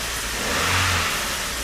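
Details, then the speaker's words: Abandoned Vauxhall Corsa, weak battery with warning lights flickering: engine runs up ragged and strained, uneven rather than crisp; running rough, dipstick shows almost no oil and sludge, owner believes that is why it sounds so bad. "There's no oil in it. That will be how dry it looks. Oh, that will be why it sounds so bad."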